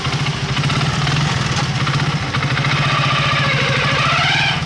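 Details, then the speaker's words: Hero Super Splendor single, new primary drive pinion already fitted: idle smooth in neutral but turns rough with a gravelly rattle once in gear with clutch released, traced to worn clutch housing and primary drive gear. "देखिए दोस्तों जब start में रखते हैं तो sound smooth होता है देखिए स्टार्ट मार रहा हूं अब गियर डालेंगे गाड़ी आगे बढ़ाएंगे साउंड चेंज हो"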